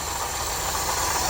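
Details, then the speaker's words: Subaru BRAT carbureted engine idling shortly after start, choke opening, running slightly rough: steady high whirring hiss and light rattle from worn alternator bearing; replacement alternator to be fitted. "you hear that noise that's the bearing in the alternator we have an alternator to put on it"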